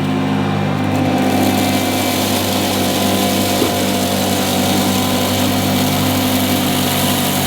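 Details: 1977 Hoover Junior Deluxe upright vacuum: smooth, constant high whir over a steady low hum, no rattling, scraping or speed wobble; owner calls it the quietest Junior Deluxe/Starlight he's used; normal motor running.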